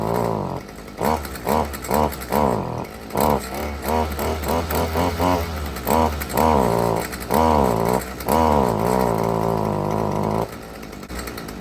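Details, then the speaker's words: Stihl FS55R string trimmer, before carburetor repair, after choke start: revs blip in short bursts and sag back, never holding, then die out; bogging persists as it warms; suspected carburetor fault. "well it didn't cut off on me this time uh the last time I ran it it wouldn't even hardly take any gas obviously you're supposed to let this warm up normally they will have a little bog you know the first uh 15 to 20 seconds till the engine starts to warm up but this one doesn't get any better as it runs"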